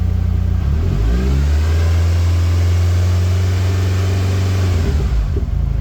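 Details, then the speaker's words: Gearbox whine rising with revs, heard in a garage while revving; goes away when the clutch is pressed, came on suddenly after a short drive; owner doubts it is the release bearing, cause unconfirmed. "a fairly serious whine coming from the box now if I press the clutch it goes away yeah safe to say that is not a good noise"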